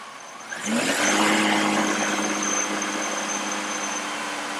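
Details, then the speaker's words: Engine note climbs cleanly on acceleration and settles to a steady, even run with no misses; the oxygen sensor is switching and short-term fuel trim pulls fuel on the throttle. This is normal acceleration during a "runs bad" diagnosis. "as you can see, as I accelerate it, my oxygen sensor is switching, and the short-term fuel trim suddenly went to pulling away fuel because I accelerated it."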